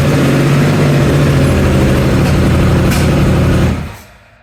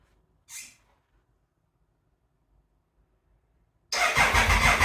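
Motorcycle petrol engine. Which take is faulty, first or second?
second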